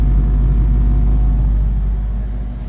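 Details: 1972 Ford Mach 1 V8, restored, about 200 km driven; deep steady low rumble with even unhurried beat, nothing rattling on top, calm healthy idle.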